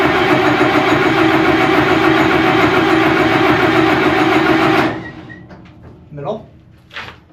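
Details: 60-year-old wash plant diesel engine on old diesel tank: steady starter cranking about 200 rpm for five seconds with no firing; no fuel reaching it, priming pump seems to have no vacuum; cause suspected, not confirmed.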